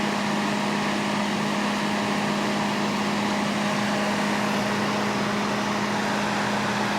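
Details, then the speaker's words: Panasonic inverter microwave running with a load: steady even hum and constant fan rush, no crackle or buzz, steaming already, working normally. "yes that works just fine steaming already"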